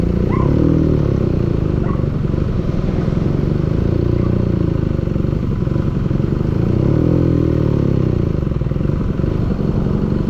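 Running engine with a rough metallic clatter riding over the exhaust note throughout; a knock from inside the engine, cause undetermined.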